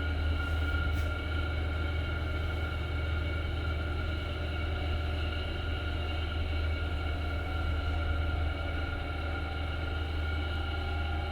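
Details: HDB lift broken down on 21 Dec 2020, the night of a 1.5-hour blackout, after repair: loud, steady low droning rumble with faint rhythmic beat throughout travel up and down; abnormally noisy, cause unclear.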